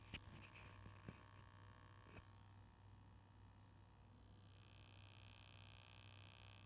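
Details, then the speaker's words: Active 3.0 electric pressure washer just switched on, motor not turning, measured with clamp meter: low steady mains hum with a few clicks; unclear if the hum comes from the test setup. "It is humming and I don't know if it's just because of the way I have this whole thing set up right now or what, but just something to note."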